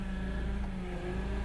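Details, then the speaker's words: Power steering pump at idle in cold weather, about five minutes of warm-up: a steady low hum with a higher whine and growl that rises as the wheel is turned, raising rpm. The fluid is foamy; the owner suspects ATF was put in. Cause not confirmed. "whine and growl let's see if I can put it on that so I get somewhat of a sound the whiny sound"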